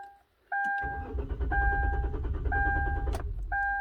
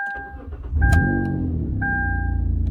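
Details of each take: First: 2012 Kia Rondo, key fob case recently replaced without transferring the transponder: starter spins steadily about 2.5 seconds under a repeating chime, never fires; crank no start, immobilizer not recognising key, though it starts via aftermarket remote start. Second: 2012 Kia Rondo that cranked but wouldn't start on the key, only via aftermarket remote start, after the key fob case was replaced without transferring the transponder; after refitting the transponder, chimes, a short crank, then the engine fires and settles to a steady idle: normal start.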